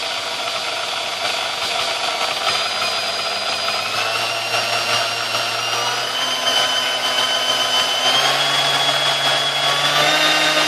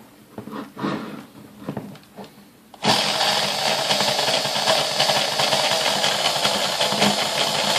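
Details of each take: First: Sunbeam Mixmaster 1-8B after service: oil wick spots packed with oiled wool felt and bad resistor replaced; smooth, steady motor whine climbing cleanly through all speeds, no rattle or grinding; normal running. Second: Sunbeam Mixmaster 1-8B vintage stand mixer, first plug-in before servicing, oily and packed with crud: motor whir starts, then runs with an uneven, wavering pitch; the speed control is not holding steady.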